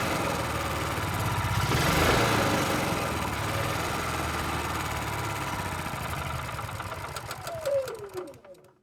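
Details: Honda EU6500is generator, spark tester fitted: engine runs unevenly with a beat about four times a second, then sags and stalls; spark confirmed fine, owner suspects carburettor needs cleaning.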